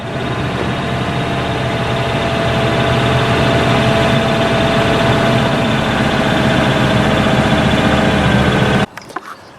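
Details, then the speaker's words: Old Cadillac with a 131,000-mile 5.0 (307) V8, started with the choke set after adding used oil and Amsoil engine flush: steady, even idle with a constant hum, no knocks or misfires, until shutoff; normal idle. "Put the key in the ignition, set the choke, and see what happens. And we're running."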